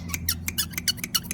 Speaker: you can hear the squeak and all we're going to do is just use coconut oil natural form of dw40